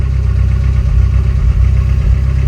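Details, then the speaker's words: Turbo Volvo 245 at cold start with no idle air valve: deep, lumpy idle that wavers and dips as it hunts, running rich during warm-up. "or I don't have a idle air valve in this thing, so it's just kind of doing its own thing. That's why it's not great, but there it goes."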